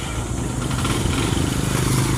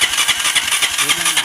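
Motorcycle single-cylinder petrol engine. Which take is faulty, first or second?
second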